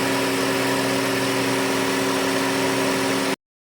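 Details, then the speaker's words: 2008 Honda Civic right after AC compressor replacement, oil matched, system vacuumed and recharged: steady even hum with a constant tone over a smooth idle, no knocking or grinding; the new compressor is running fine. "All done. There's the new compressor right there. All hooked up. Let me crank it up."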